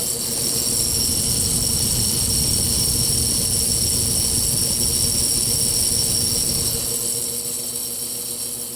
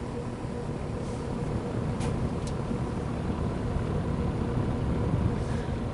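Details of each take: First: GE W22 box fan motor on low speed: steady low electrical buzz over soft motor hiss, absent on medium and high; caused by a loose shaded coil in the stator, long mistaken for a bearing issue. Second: GE W22 plastic-bladed box fan after fixing a loose shaded-pole coil that caused low-speed buzzing; with blade load the fan runs with a steady low hum, no electrical buzz, only faint cabinet vibration; normal running.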